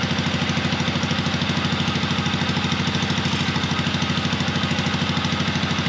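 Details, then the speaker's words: 1970s Onan two-cylinder gasoline RV generator, long stored; after transmission fluid was poured in, a stuck valve freed. Loud, steady, even beat with no misses; both cylinders firing cleanly and running smoothly. "so yeah as y'all seen when I poured that uh transmission fluid in there it went to running good so like that other valve got unstuck so that is great that both cylinders are working"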